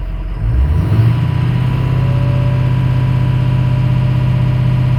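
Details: 6.0 Powerstroke diesel after fuel injector and fuel pump replacement, following intermittent stalling and no-restart; battery cable reset, no check engine light returned: steady, even idle with smooth low drone, no knocks or stumbles once settled; sounds healthy.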